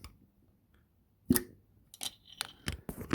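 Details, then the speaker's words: Subaru EJ255 from a 2006 Legacy 2.5GT, torn down after rod knock: sharp metallic clicks as the cylinder 1 connecting rod is rocked by hand, its bearing completely gone; other rods had no play. "the crank doesn't really have any walk or anything but cylinder one right here i can push it back hear that"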